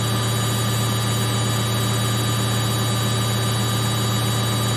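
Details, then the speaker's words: Samsung 8kg Eco Bubble front-load washer, fast spin in last 4 minutes of baby care cycle; steady high whir, constant hum, no thumping or banging: very stable, no vibration, no noise. "the machine is running so fast. but it's very stable. No vibration, no noise."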